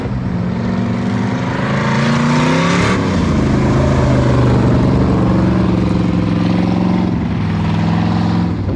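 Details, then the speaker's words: Hobby Stock race car with a newly built V8 and a changed module, on its first hotlap on a wet, sloppy track taken nice and easy: pulls cleanly through the revs with an even exhaust note and no misses, sounding better than before; engine running smoothly. "all right his first time out here sounds better already i think he's just going to go nice and easy"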